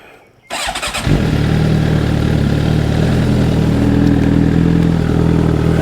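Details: 2008 Suzuki GSX-R750 after repairs: catches quickly on the starter and settles into a steady, even idle with a smooth low throb, sounding healthy. An FI code C62 for the purge valve was showing.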